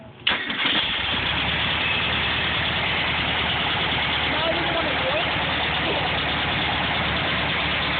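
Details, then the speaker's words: VW Beetle air-cooled engine cranks, catches and idles with a constant harsh, raspy grinding, which began that day. Owner guesses it is the fan; unconfirmed. "but there's some strange grinding noise now that just started today so I'm going to start the car and I'm let you guys hear that and hopefully you can tell me what the issue is"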